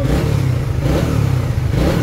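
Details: Trader 150 FI motorcycle that sputtered and died when wet, after new original spark plug and cap, during water test: runs steady and even with low throaty note, no sputter or cutting out.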